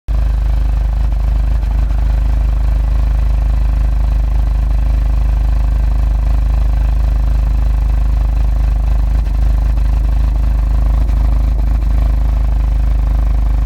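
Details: Car idling rough with a low, slightly uneven pulse after a full service (oil, DSG oil and filter, water pump, pulleys, drive belt). Codes P000A then P0341; after a camshaft sensor change it shows P3008. Cause not confirmed.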